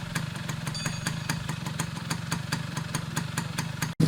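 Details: Restored Yamaha F1ZR two-stroke with a rebuilt stock (STD) engine and full clutch: crisp, even popping at about four beats a second, steady and clean with no misses; running healthy after restoration.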